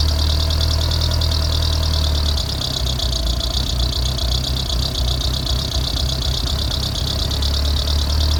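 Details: Mitsubishi 2G DSM (4G63) petrol engine idling after startup: steady high-pitched squeal over the low rumble, suspected to come from the timing belt, not confirmed.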